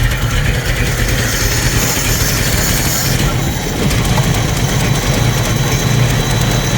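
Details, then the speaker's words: 1990 Jeep YJ 4.2L inline-six carbureted, 5-speed, cold, just started after new carburetor fitted; steady low rumble, even beat, no stumble; normal idle, running better than before, carb still needs adjusting. "Well, it's running better than it did before. So that's a plus."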